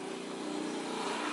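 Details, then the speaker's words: Honda Beat scooter humming when throttle is released: rear wheel spun by hand gives a steady gritty whirr with wavering hum, most likely from the rear pulley bearing; CVT found dirty, long unserviced, with cracked parts; rough rear pulley bearing. "Suara mendengung itu ketika diturun gas nah ini kita coba Puterin aja si ban Ini ban belakang kita Puterin pasti kasar kalau misalnya Emang rusak tuh ini suaranya masih kasar ini"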